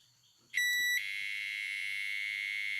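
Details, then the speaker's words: Microwave oven control board after display replacement: one clean high beep, then buzzer keeps droning a steady rough high tone instead of going quiet. "ele faz o ipsem normal mas continua com barulho é continuar com o barulho está sendo emitido por aqui"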